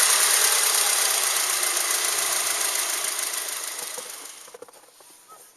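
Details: Subaru Outback EJ253 engine, damaged, before rebuild: regular sharp tapping knock three or four times a second over hissy engine, fading as it winds down.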